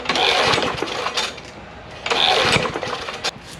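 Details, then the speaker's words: John Deere JS63C push mower, 6.75 hp Briggs & Stratton OHV, formerly locked up, fed gas with SeaFoam sprayed into the carburetor: rough sputtering bursts that catch and die, firing back out the carburetor; owner suspects sheared flywheel key or maladjusted valves. "And it kind of did, but it was firing out the carburetor. So that made me either think the valves are out of adjustment, or it's a bigger chance the flywheel key might have sheared, or might be off by just a little b"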